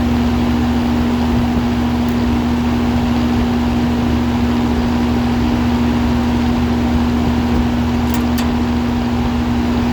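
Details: 2005 Lennox Elite air conditioner, indoor unit just switched on: loud, even hum with a strong steady low tone and constant rushing air, no knocks or rattles; normal running.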